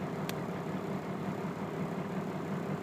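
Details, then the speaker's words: 1995 Cummins 12V diesel with about 313,000 miles, losing power: uneven lumpy rough idle with dashboard buzzing vibration; fixed by replacing the check valve. "you can hear if you listen close you can hear the dashboard vibrating so these are all things that it hadn't done before it started to run rough"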